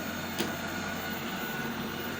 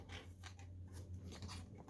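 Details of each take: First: Eufy RoboVac 30C robot vacuum, bought used because it spun in circles, now charged and running on floor and carpet: steady, even motor whir with light brush rustle, no grinding or clicking; driving and cleaning normally. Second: Eufy 30C robot vacuum that spins in circles, wheel spun by hand with the unit open: gives short gritty crunching bursts instead of a quiet spin like the other side; broken gear teeth.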